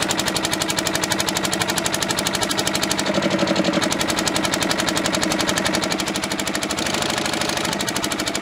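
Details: Old twin-cylinder diesel vibratory roller that broke down about 20 years ago, first run after years: uneven, lumpy chuffing about four beats a second, lopsided rhythm, one cylinder not firing properly; owner suspects debris in the injector.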